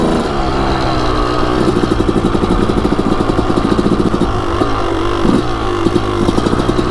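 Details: Suzuki RM250 two-stroke dirt bike, started on first kick, crisp crackle picking up cleanly with each throttle blip and settling back evenly; healthy running.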